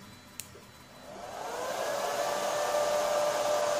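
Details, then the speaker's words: Flying Bear LaserMan laser engraving/cutting machine's air filtration extraction fan spinning up into a smooth, steady, even whir during engraving, no rattle or wobble; fan strength audible through the filter, no smoke, filter system working fine. "आप फिल्टर की आवाज से पंखे की ताकत महसूस कर सकते हैं।"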